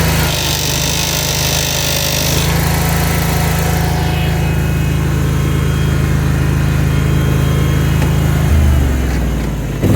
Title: Ferris IS3100Z - Loud noise and vibrations when engaging left hydro